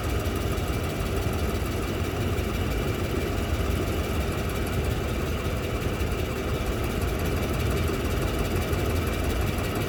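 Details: Toyota Land Cruiser 200 2UZ-FE, knock on the engine's left side at idle; dense quick knocking at engine speed under steady idle; valves, clutch checked, exhaust manifold welded and gasket replaced, cause still unknown.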